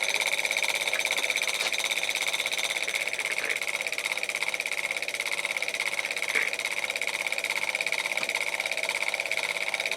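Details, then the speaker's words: Old Kwik Kool oscillating fan, oscillator removed, motor oiled with 30-weight non-detergent oil: steady hissy whir with a sharp high-pitched edge, no speed change; motor still noisy, owner suspects a pushed-in tab, cause not pinned down. "you probably can't see much because that shaft isn't really visible but yeah it's noisy as a too which i didn't want"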